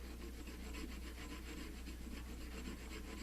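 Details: Clutch basket finger from a 40-year-old basket, dressed and deburred by filing: round stock rubbed along it gives steady soft rasping strokes, free of catches or bumps; smooth clutch basket finger.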